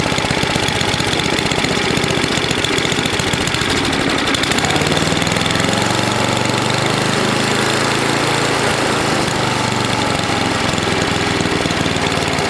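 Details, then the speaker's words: NOMA 8hp snowblower single-cylinder engine with the plugged gas line blown clear, warmed up for an oil change: a steady, even fast-idle chug with no misses or knocks. It runs okay. "so well it's running okay got it warm enough to get the old oil out of it so we'll do that"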